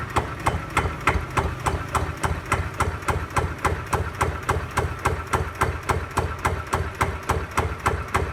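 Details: Kawama 9.5 hp single-cylinder walk-behind tractor diesel engine, new, throttled down to low idle; steady, even chugging at about three and a half beats a second with no misses, healthy.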